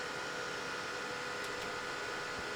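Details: Bluetti AC200 Max power station: steady, loud rushing air with a constant whine and no let-up, fans pinned at full speed from switch-on. A faulty temperature sensor reads 71°; the attempted fix failed and the sensor is being rechecked. Fans at full speed.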